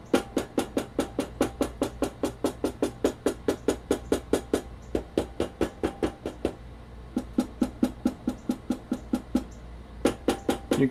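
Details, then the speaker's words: Stock, unmodified Sony PS-X800 linear-tracking turntable, all screws tight, plinth tapped and recorded on camera built-in mics: sharp taps about twice a second, each leaving a short loose buzzy ring; poorly damped stock plinth rattles. "I would advise you to pay close attention to a rattly type of sound characteristic on the stock 800"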